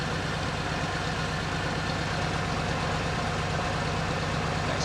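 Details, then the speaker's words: All-original 1966 Corvette, engine rebuilt in 1993 for unleaded fuel, at steady idle from the rear: deep, even V8 burble with no miss or tick; runs smooth and healthy. "smooth sounding car now. Sounds real good, Kurt."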